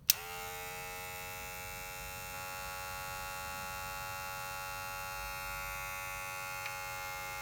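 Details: Cordless rotary tattoo machine running: a soft, steady electric buzz that switches on and holds one even pitch, quiet. Normal quiet running.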